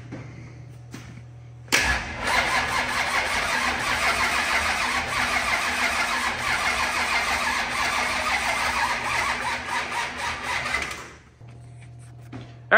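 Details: 25-year-old SBC 400 small-block V8 race engine, freshly rebuilt, cranking evenly for about nine seconds without firing once despite fuel pressure and spark; plug was dry, and ignition timing turned out to be 180 degrees out.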